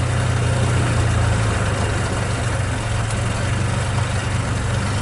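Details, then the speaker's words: Towed Ford Explorer that seller says has a cracked head, at first start: low uneven idle with irregular beat and rumble; runs rough, cause suspected not confirmed. "He said it's got a cracked head on it. See if it'll start it off. Oh, sounds like most of the Ford Explorers."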